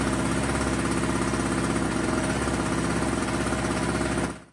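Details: Small two-stroke tailgater generator, customer said it wouldn't run; customer had fitted a new spark plug, air filter clean. On choke, it starts right up with a fast, even buzz, no misses, then a clean shutdown: normal running.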